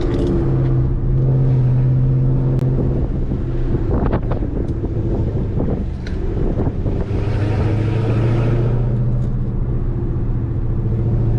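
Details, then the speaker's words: Dodge Scat Pack V8 driving with Corsa exhaust and newly installed MFER1 active exhaust valve openers holding the valves open: deep, even rumble under light throttle with wind noise, free of rattles or leaks. Normal open-valve exhaust note. "you hear that corsa working with the new mfer1 active exhaust valve openers just installed"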